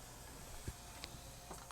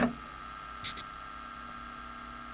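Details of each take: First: 1988 Yamaha CD-29 CD player after new belts and pickup cleaning, powering up; few soft mechanical clicks and ticks, no grinding or straining. Normal power-up. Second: 1988 Yamaha CD-29 CD player, tray won't open, microphone inside the unit, open/close pressed: steady motor whir with faint whine but no drawer movement; drawer seems jammed, fixed with two new belts.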